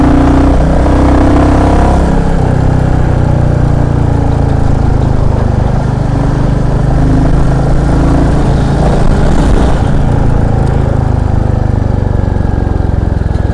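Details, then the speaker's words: Royal Enfield Classic 350 ridden in first, second and fourth gear after tappets were adjusted to cure an engine tik-tik noise: deep single-cylinder thump pulling hard, no tapping from the top end, running normally under acceleration. "तो अभी तो कोई sound नहीं आ रहा bike में। अभी मैंने चौथे गियर में भी चला के देख लिया लेकिन कोई साउंड नहीं आ रहा।"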